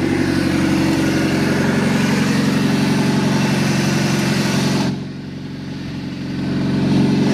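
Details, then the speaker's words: Abandoned Chevy S10 pulled from a junkyard, first start after fitting a new distributor and cap with battery reconnected, no coolant in it: steady, even four-cylinder idle that dips briefly then recovers, running cleanly with no misfire. "awesome see I told y'all that was the problem all along y'all didn't know"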